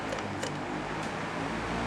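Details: Victor 18-inch electric fan, previously weak motor, after capacitor replacement: steady even motor hum with soft airflow whoosh, no knocking or scraping; fan runs normally.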